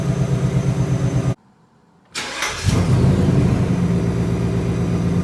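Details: New 2020 Ford Mustang GT V8, warm start: engine runs, briefly cuts out, then restarts with a rev flare and settles into a lumpy idle; owner finds the warm-start sound weird and asks if it is normal; cause unknown.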